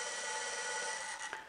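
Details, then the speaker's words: 1971 Moto Guzzi V7 Special 750 generator, motored off a 12 V battery on the bench as a test: a steady, high but scratchy, uneven whir that slows near the end; it works but runs rough. "so that indicates as you can hear it's not real crash hot but it indicates that the thing is working"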